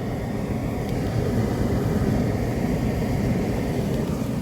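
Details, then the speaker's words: Hotpoint dryer after repairing broken main drum shaft with three screws: even low drum rumble, no knocking, scraping or squeal; normal drum operation. "This machine is running without any abnormal noise."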